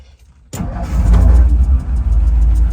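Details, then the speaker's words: 1957 Ford Thunderbird, original unmodified 312 cid 245 hp 4bbl V8, automatic, 43,126 miles: fires at once, blips into a strong steady low rumble; clean healthy start. "Sounds runs just like it should. Nothing's been modified in there."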